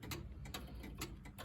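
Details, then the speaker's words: Verge escapement after fitting new knife edge so pallet arbor pivots through centre line, allowing tighter setup with less drop; crisp even ticks about twice a second with softer alternate beats, running healthy. "so the escapement is uh is more optimum you can you can sort of set it up uh tighter with the less drop and and it will escape"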